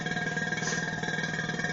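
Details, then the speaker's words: Vacuum pump evacuating a Chevy truck A/C system after compressor and accumulator replacement: quick even pulsing chug over steady hum, getting quieter as it pulls vacuum; normal operation, no major leak. "Now, if you listen, you will hear, unless I've got a major leak somewhere, you will hear it get quieter as it starts to pull a vacuum in the system."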